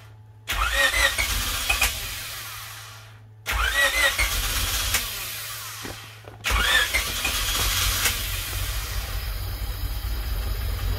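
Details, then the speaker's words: Honda Civic hatchback build, first start after 10 years with no coolant in it: three long cranking bursts with pauses, the third catching into a steady idle; owner had suspected the injectors weren't getting power. "dang that was close [Music] it's on it's running holy crap after 10 years"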